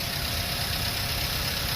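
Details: 2009 Toyota Avanza 1.3 G manual, 6,400 km, dealer-serviced, cold engine idling with radiator cap open: steady even smooth low hum, no knocks or ticks; no coolant bubbles, running healthy.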